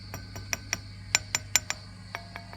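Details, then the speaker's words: Old Fender Princeton Reverb brought in for squealing and feedback, tapping preamp one and two and valve three with the volume down: light glassy taps about every fifth of a second over a steady low hum, no ringing or howl, so no tube microphonics. "so this is with volume down so i'm not expecting any microphonics nothing there and finally nothing there nothing there"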